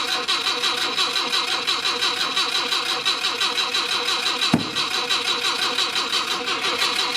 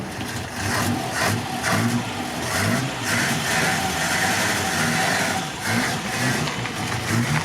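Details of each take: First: Mk1 Ford Cortina original 1200 petrol engine, on jump pack, possible dodgy ignition switch, fuel doubtful: steady even cranking about three turns a second, never firing; crank no start, later points cleaned to get spark, cause unconfirmed. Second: Mk1 Ford Cortina original 1200 petrol four-cylinder, after cleaning points and getting fuel up, carburettor diaphragm leaking slightly: engine runs and picks up revs with steady even note, no knocks or misses; normal running.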